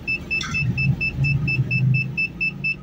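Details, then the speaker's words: 2008 Ford Explorer Eddie Bauer with a misfire history on cylinders 5 and 7, loaded in reverse during a power balance test: steady engine drone under the reverse beeper, no stumble, all cylinders firing evenly. "Estoy haciendo que haga fuerza para ver si falla, pero bueno, no ha fallado."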